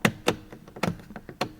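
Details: Porsche 911 996/986 headlight rotary switch, newly replaced because the old one turned without detents: crisp, separate clicks as it snaps through each position with clean detents and no slack; switch works properly.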